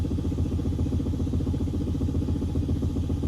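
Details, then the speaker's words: 2006-2011 Honda Civic rear Monroe OESpectrum shock with 1/2-inch lower sleeve on a 12 mm bolt not properly torqued: dull low thuds about four per second as the suspension works, a knock that is eliminated once the bolt is correctly tightened. "le manche on est plus gros soit un demi pouce avec le boulon de 12 mm qui n'est pas correctement serré on remarque encore un bruit de cognement"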